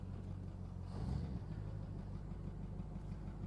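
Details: 1962 Dodge Custom 880 V8, not run in a long while, on the little gas left in the carburetor: idles and pulls away in drive, brief swell of revs, then settles; runs and drives, smoke likely from sat rings burning oil.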